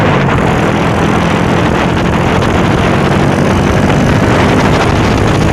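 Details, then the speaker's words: Honda Revo Absolute after replacing the valve rockers (piano klep) to cure a rough, tapping noise. Loud, smooth, even engine note with only carburettor hiss and no top-end rattle. Normal running. "Hai suara juga halus sering artinya"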